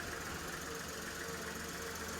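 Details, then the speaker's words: Newly acquired project car, oil and coolant checked: quiet, even tick-over with steady low hum and no knocks or misses; engine idling smoothly and healthy. "it's ticking over quite nicely honestly i've checked oil got coolant"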